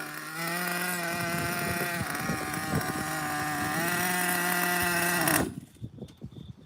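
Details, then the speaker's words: Small nitro RC engine, not yet hot: high buzzing steady whine, then pitch dips and wavers before cutting out; unsteady idle, owner suspects an air leak, needs tuning, compression good. "Sounds like a bit of an air leak still, but the the engine is completely like it's not even hot."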